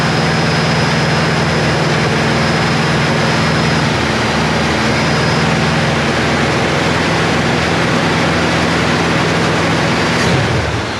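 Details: Chevy Nova Super Sport V8 with a replacement distributor. Strong, even rumble holding at a fast idle with no tapping or misfire, dipping briefly near the end. Good vacuum; the choke needs adjusting. Healthy running.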